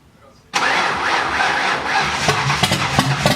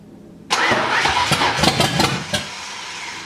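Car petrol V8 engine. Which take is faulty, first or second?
first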